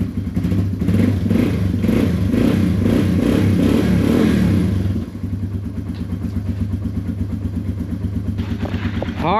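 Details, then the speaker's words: Yamaha TW200 single-cylinder after long sitting, new battery and fuel leak fixed: catches on choke and settles into a steady, even low thump with a throttle blip; normal start and idle. "So, the Will It run basically consisted of a battery, uh, fixing a gas leak, and the engine's pretty solid."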